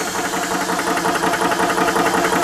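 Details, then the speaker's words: Ballistic 12V PCP air compressor, 3-stage 350 W, filling a rifle with cut-off set at 3000 psi: steady, even buzzing chug with a quick regular pulse and no knocks or squeals; normal running. "So I've got the pressure gauge set at 3000 psi, and as soon as I engage the compressor, you hear a little bit of a different noise coming out of"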